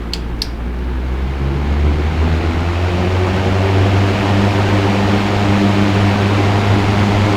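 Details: Mid-1970s Manning Bowman 3-speed box fan with new cord, cranked back to high: steady low whoosh with constant hum, even and unchanging, no rattles or ticks; fan sounds healthy.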